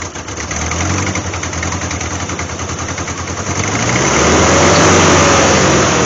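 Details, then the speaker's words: 1988 Jeep Wrangler 2.5L four-cylinder, cold start at about 43°, new plugs: lopsided shaky idle pulsing about 3.5 beats per second, not firing on the rear cylinders; distributor timing suspected; misfire. "I would say that's no better so we're still not figh on those rear cylinders so here's the question why something's I'm obviously getting sparked to that that uh distributor and it's going around but the timing is off it's not firing those rear"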